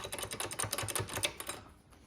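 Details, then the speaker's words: 1997 Honda CR125 wheel spun by hand, giving a fast, uneven clicking rattle that fades as it slows. Badly worn front and rear wheel bearings, which were later replaced. "wheel bearings, I mean, you can hear them, like you probably can't see it, but you can hear it. Front and back are like that."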